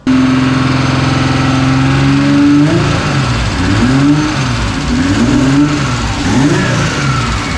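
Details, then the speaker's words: Mazda MX3 with freshly built forged 2.5 engine and new turbo kit, first start with fueling cut about 30%: revs blip up and down with clean rising and falling turbo whistle, no grinding or rattle; healthy turbo spool. "yeah turbo sounds healthy"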